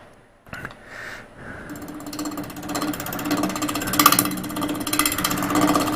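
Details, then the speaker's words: Wood lathe turning an experimental multi-part resin casting (around 1000 rpm mentioned): steady hum with rapid, uneven thumping chatter each turn. The out-of-round upper pieces throw the workpiece off balance, causing vibration, so it will be trued round first. "you can see the ghost image all the way out here so that's how far out around our upper pieces which makes for just more vibrations that we don't need so let's fix that first"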